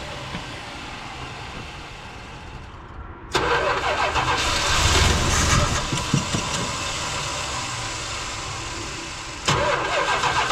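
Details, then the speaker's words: 1978 Dodge Ram crew cab with Thermal Quad carburetor: starter churns about three beats a second, engine catches roughly, stumbles, and cranking resumes. It is a hard start despite having started and idled before; the fuel pump, barely squirting, is suspected. "What is with this truck? Last time I was here and I did that, it started and idled."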